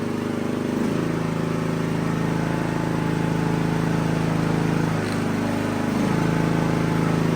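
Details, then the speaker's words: Riding mower hard to start cold, parking brake on, going from full throttle to full choke: steady drone that runs stronger instead of coughing and sputtering; choke not closing, owner suspects misaligned choke cable. "All right, so I don't know if you heard that, but what I was wanting you to see is when that was full throttle, and then when you go all the way up, it should choke and spit and sputter. Well, it just went stronger."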